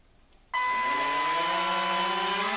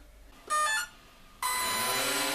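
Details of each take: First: RC model on a brand-new 300 mAh 1S LiPo replacing tiny older cells that caused receiver brownouts past half throttle: motors spin up sharply into a strong steady high whir, thrust pushing the hand; normal full-throttle run. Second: RC model on a tiny 1S LiPo, throttle opened past half: short electronic beep then motors whir up as current draw sags the battery, receiver shuts down and reboots; receiver brownout from battery voltage sag.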